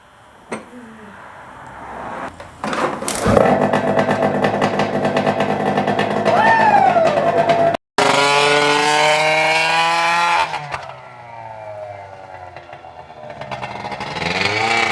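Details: Arctic Cat ZL600 EFI snowmobile two-stroke run with the muffler removed, very loud: revs rise, then sag and stumble, bogging under throttle; owners suspect the intake boots.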